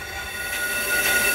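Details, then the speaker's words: 2007 Honda Ridgeline/Pilot rear rotor being machined on a brake lathe: steady high squeal with a thin whistle from rotor vibration against the cutting bit; an old wheel weight pressed against it silences the chatter. "if you take an old break uh Leed weight like this and put it behind the edge of the Chip and put a little press on it'll take the vibration and sque out silence it"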